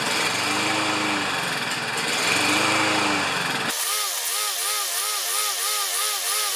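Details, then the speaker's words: Self-propelled Lawn-Boy mower with Kohler engine, before repair, choke closed, kept running with squirted fuel: revs rise and fall in slow waves, then waver faster, can't hold speed; owner unsure choke or dirty carburetor. "so I honestly don't know if it's a bad choke or if it's just a dirty carburetor that's causing this to uh pretend in such a misshapen fashion"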